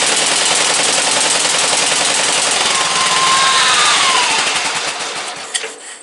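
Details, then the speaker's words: Briggs & Stratton 17.5 OHV single-cylinder lawnmower engine, muffler fitted, bottle-fed fuel, on a substitute carburetor; rattles fast and loud then sags and dies away; runs poorly, carburetor judged junk, other carburetor to be refitted. "Don't run very good with that carburetor on it. That carburetor's junk."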